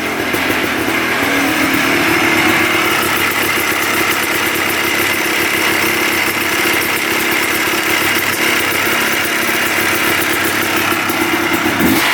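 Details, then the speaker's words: 1990 Yamaha Blaster 200 two-stroke quad after air screw adjustment, smoking: buzzing idle sitting high and steady without settling; owner suspects an air leak, possibly a bad left crank seal, unconfirmed. "Almost sounds like an air leak. I wonder if the left crank seal is bad. It's sucking in air from somewhere."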